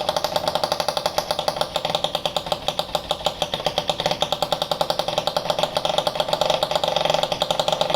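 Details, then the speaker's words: Italjet Charger scooter with Stage6 Sport Pro MK2 70cc kit and Pro replica exhaust, first run: rapid sharp two-stroke popping at idle, very loud throughout; excessively loud exhaust, silencer later found like new and modified. "as you can hear the scooter is very very very loud which was loud as 50 cc as well I don't know why this Pro replica it sounds like this on this engine"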